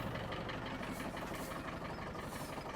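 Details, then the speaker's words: Land Rover Defender 110 diesel at idle: fast buzzy rattle from the rear, exhaust resting on the mud flap; needs rubber spacer. Barely smokes, a little under load. "quite annoying really because it's just sat on the mud flap. So, I need to get a little rubber in there and she won't rattle."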